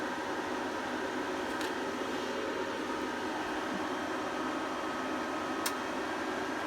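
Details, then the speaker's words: APC Smart-UPS 1500 after connecting the battery and mains, fan running high for about a minute to cool the charging circuitry: steady, even fan rush with a faint hum and no ticking or rubbing. Normal. "okay and then the funnel will run quite high for a minute to cool the charging circuitry then it should turn back down again in a second"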